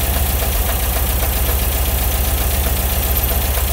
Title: Bus engine noise 2